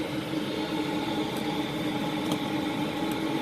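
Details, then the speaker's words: 8 kW 12 V all-in-one diesel air heater running and blowing hot air, measured around 217–220 °F with a temperature gun. Even whirring fan hum with a steady midrange tone, no surging or knocking. Normal running. "Yeah, she's running. We got it to go."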